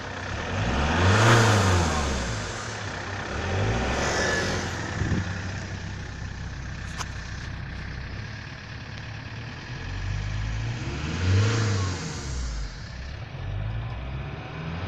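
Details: 1999 Toyota T22 D4D diesel revved in short blips: breathy hiss swelling with each rev at the turbocharger intake hose; almost inaudible at idle, much stronger accelerating when overtaking; cause unconfirmed.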